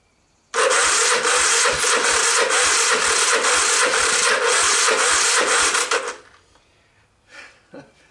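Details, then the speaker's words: 1986 Honda TRX250 with new starter and gears, low compression, choke on, starting fluid used: starter whirs steadily about five seconds with even compression pulses but never fires; cranking without starting. "first try fail i'm going to charge up my jump pack a little bit and see if that helps"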